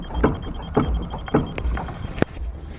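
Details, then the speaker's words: Fiat Uno Mille, steering rocked by hand with an extension bar, wheel fitted: dull, uneven clunks from play inside the steering rack, not the tie-rod end; causes toc-toc knocking over cobbles. "vê que o terminal aqui ele movimenta um pouco, mas o barulho está vindo lá de dentro."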